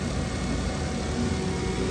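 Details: 2000 Toyota Camry XLE at first start right after an 850 g refrigerant recharge, compressor engaged and fans running: smooth, even idle with a steady low hum and no knocks or squeals; AC system sounds healthy.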